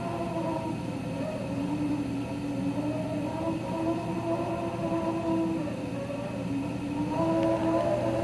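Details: Raypak 106A gas spa heater running: steady hum with a wavering, whistly whine on top.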